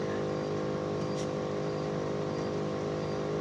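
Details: Bosch Climate 5000 split air conditioner, about three years old, running on heat. The outdoor inverter unit gives a steady low hum with a buzzing edge under the fan noise. Something in the casing is vibrating, source not pinned down.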